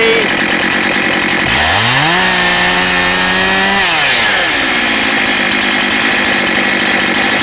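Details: Husqvarna 272XP chainsaw with a 20-inch reconditioned bar, new chain and new sprocket revs up crisply, holds a clean steady high scream, then settles to an even idle: running strong.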